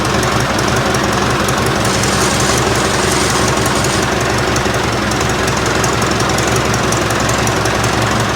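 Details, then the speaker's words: Ford 4040 industrial diesel tractor just started after injector rebuild, cold, with ether, warming up: loud uneven clatter with irregular beats and stumbles at fast idle; missing, probably from air still in the fuel lines. "i'm sure it's going to smoke and miss until all the air is out of the line so i expect that but hopefully it'll start without too much trouble"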